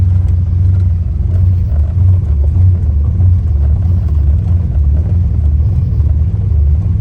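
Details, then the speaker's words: Foxbody Mustang after replacing the distributor pickup (PIP/stator), which was bad in both distributors: deep, even rumble on the road, steady pull with no misses; previous high-RPM miss around 4,000–5,000 RPM gone after the repair. "Not, I guess the pickup was bad in both of them, but because this thing's running like a top now."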